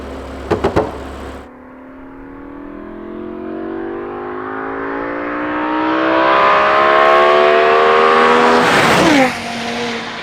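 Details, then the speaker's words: BMW M5 with new Eventuri carbon-fibre intake plenums, warmed up: a clean, strong intake roar climbing smoothly with revs, then dropping off; the engine sounds healthy. "I've been driving around and the intake noise is just biblical there's even more of it"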